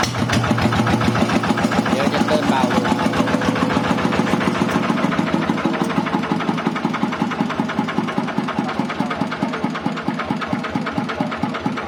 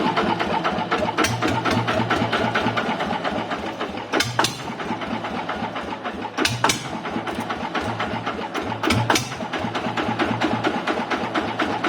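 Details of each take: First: TF115 motorcycle (upgraded to 150cc) at idle: fast, sharp ticking over a lumpy single-cylinder idle, keeping pace with the engine; excessive valve clearance, before valve adjustment. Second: Honda TF115 motorcycle (upgraded to 150cc): steady, even idle with regular exhaust pulses and no valve ticking; engine idling healthily.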